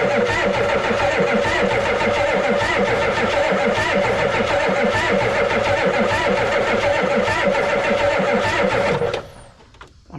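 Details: 1988 Ford rollback diesel truck, sat about 10 years: steady even cranking about 3.5 turns per second for ten seconds with no firing; fuel flowing steadily, owner suspects a bad shut-off solenoid, unconfirmed.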